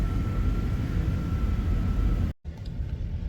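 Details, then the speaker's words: Van AC/heater blower motor just replaced during a heat wave: steady rushing airflow with a faint constant whine, even and free of rattles or scraping; new blower healthy, AC restored. "well we now have AC um so hopefully I won't be sweating so much soon"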